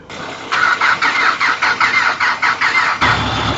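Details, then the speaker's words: Vehicle with a low battery, jump-started in the morning: starter cranks in pulses about three a second for 2.5 seconds, then the engine catches and runs; owner suspects it was flooded with petrol and fuel is not getting through. "success we reckon we might have flooded it with too much petrol and uh there's an additional problem with the uh the gas not getting through on pond start"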